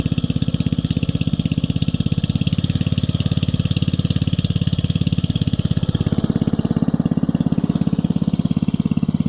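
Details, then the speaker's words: 1965 Rugg Carpet Cut riding lawn mower, repowered with electric start, running: even, steady single-cylinder thump at constant speed, no misses, knocks or rattles; sounds good, healthy. "All right, let's get it running. Hey, how you doing? Looking at that sound. Oh yeah. Sounds good."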